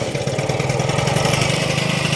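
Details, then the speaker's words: Honda Dio scooter two-stroke engine after full rebuild (crankshaft bearings, piston, engine bushing replaced): starts on one kick, quick even putter at idle with no knocks or rattles; normal idle. "Ayan o, start ko one click naman siya eh. Hindi ko na kailangan pahirapan sarili ko."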